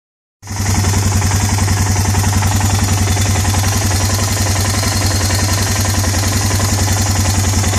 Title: Ticking Noise Much Better